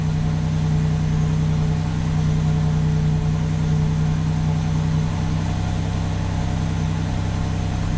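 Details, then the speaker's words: 1987 Buick Grand National turbo V6 at idle as warm-up enrichment is pulled from 30% added fuel; faint hum drops away midway as the mixture leans out, engine note audibly changes. "You can hear the engine change as I pull fuel out of here."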